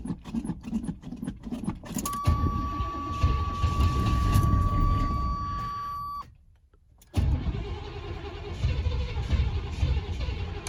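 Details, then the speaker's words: 1986 GMC Sierra Classic 2WD truck, driven the day before, started cold: a couple of seconds of even cranking, then it catches and settles into a steady, smooth idle; normal cold start. "but overall it runs really well i'll go ahead and crank it now i drove it yesterday so you'll be able to see what it typically cranks right like when it's been sitting on a cold day"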